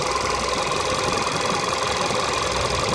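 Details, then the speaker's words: 2012 VW Jetta 1.2 TSI at 1100 rpm and above: a steady whirring hum with a rubbing edge, no clear knock. The owner says the noise stops at idle and when the clutch is pressed. "Evet arkadaşlar, motorumuzda 1100 devirde ve sonrası için böyle bir uğultu gibi, böyle bir sanki sürtme sesi gibi bir ses geliyor."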